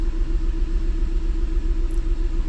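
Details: 2008 Mazda CX-9 cranking and idling with code P0201, injector open circuit on cylinder 1, bank 1 lean; low lumpy idle with an uneven beat as cylinder one drops out; the scope shows no injector voltage or amperage; misfire from a dead injector.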